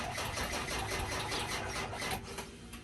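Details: 2002 Ford F350 7.3 diesel, 90,000 miles, cold start while plugged in, battery at 13.7 V: steady laboured cranking that goes on without catching cleanly; hard starting, owner suspects the starter is going bad.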